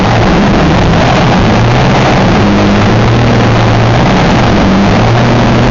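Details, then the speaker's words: WW2-era Meteor V12 tank engine, started for the first time with new magnetos and fuel pumps: loud, raw, steady roar with a deep low rumble through open exhausts, no obvious knock; it runs evenly. "but yeah the engine fires up which will demonstrate for you now that it is a runner and it makes absolutely stunning noises you can feel the thing start up it's uh yeah it's pretty epic"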